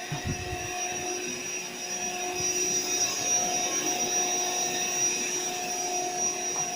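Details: AeroBed Deluxe Raised double air bed with a suspected pinhole leak near the bottom. The built-in pump inflates it slowly to firm with an even, unbroken electric whir and thin high hum, no surging or rattles: normal inflation.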